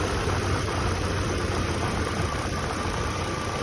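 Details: 2006 Hummer at normal idle after a P1516 wiring repair: insulation peeled back, wire temporarily joined with a jumper, then soldered and heat-shrunk. Steady low idle with an even pulse and no stumbles, knocks or hunting. A parasitic draw is still unchecked.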